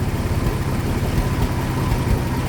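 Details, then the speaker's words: 1995 Ford F150 4.9L EFI at idle with no catalytic converters, exhaust fully open: loud, deep uneven beat with occasional dropped pulses, a random misfire under diagnosis. "So that's what it's doing. It just has random misfire."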